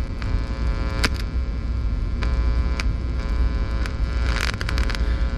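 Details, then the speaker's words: Swappable tube-amp tone stack sitting in a slightly shielded, aluminium-tape-lined enclosure gives a steady low mains hum with faint buzz and crackles, slightly reduced by touching ground; shielding and grounding are still inadequate. "what's interesting though is i can take this slightly shielded enclosure i can just rest this in here [Music] and if you can tell it's the tiniest bit quieter now i can touch the ground and hear the hum go down a little bit more"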